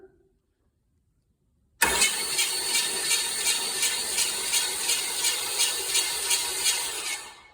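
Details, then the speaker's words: Chevy small block 350 V8, pulled from a truck, sat about 2 years with Mystery Oil in cylinders, spark plugs out, new battery cables: starter spins engine quickly and evenly with light regular pulse; turns freely, not seized. "All right, look at that, turns over. I actually expected a lot more juice to come out of the spark plug holes, but so far so good."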